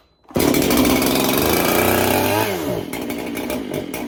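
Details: Freshly built 371 chainsaw, barely run and being broken in, cold start: fires on the first pull and holds a loud, high, steady buzz, then settles to a rougher idle; a clean, easy cold start.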